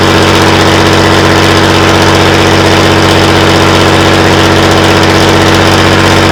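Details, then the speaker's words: Class 117 DMU 51412 diesel, first start attempt in 5 years: fires and runs at a steady even beat, about three pulses a second with a droning hum, then stops shortly after; air in the fuel suspected. "She fired up. She lived. And then Shortly thereafter, as you've seen, she's stopped."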